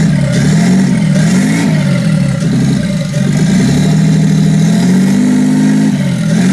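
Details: Toyota 2JZ-GTE VVTi six in a Nissan S14 drift build, first run after wiring: smooth even exhaust note with small throttle blips, no knocks or misses; brief start-up smoke from pressure-wash water in turbos went away; running clean.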